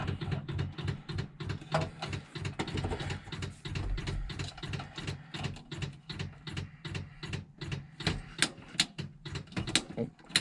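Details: Morris Minor budget build on its first attempted start, no working brakes: quiet, rapid clicking ticks over a quiet background as the ignition comes on; the electric fuel pump is priming normally.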